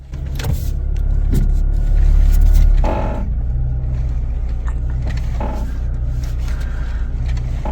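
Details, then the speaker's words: Dull creaks and groans in irregular bursts over idling engine when steering is turned, e.g. to full lock; usually a suspension component such as strut assemblies or ball joints, cause not confirmed. "So anytime you hear a creaking, such as the one we just heard now, it usually indicates a suspension component, strut assemblies, ball joints and things like that."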